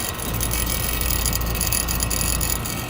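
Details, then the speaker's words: Trane outdoor AC unit (XL16i) with a fast, uneven metallic rattle over low hum from a chattering refrigerant check valve; a magnet ordered from Trane is being tried as the fix. "I got her all open and it's right here where it's shattering, it's rattling, whatever you want to call it."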